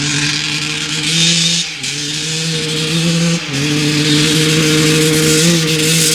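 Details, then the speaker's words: 1995 Honda CR250 two-stroke, stock jetting with the needle clip moved up one notch to lean it: revs climb, then twice sag and stumble under throttle. Slightly better but still bogging; power valves confirmed opening. "all right it's still doing the same thing basically um it's a little bit better but uh basically doing the same bogging"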